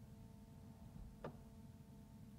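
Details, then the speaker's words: Jaguar XK8 stuck in Park with no start, ignition on: with a faint electrical hum behind it, one crisp click as the brake pedal is pressed, the shift interlock solenoid releasing normally; no click would point to brake lights or brake switch. "so touching a brake pedal and when you're touching the brake pedal that comes out so if you're not getting that click then look at your brake lights brake switch before you do anything too complicated"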